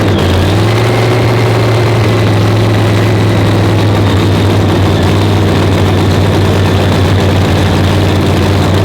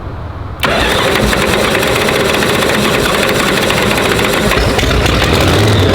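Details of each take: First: Blown Hemi race engine with dry sump, fresh 50-weight oil, being cranked to check timing and lean out cylinders seven and eight that were spitting: heavy even lumpy idle, deep steady beat, two cylinders come alive, no misfire gaps; normal idle. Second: Supercharged (blown) Hemi V8 engine fire-up: catches and settles into a loud, lumpy, uneven idle with a choppy beat; ignition timing needs adjusting.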